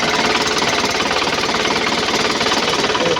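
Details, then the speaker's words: 2011 Isuzu Panther LS diesel after engine rebuild for scratched pistons: even steady idle clatter roughly 220 beats a minute, no separate tick; the tek-tek knock from the pistons is gone, normal idle. "Alhamdulillah suaranya adem ini. Oh iya hilang ya. Iya satu suara. Satu suara tek-teknya itu hilang."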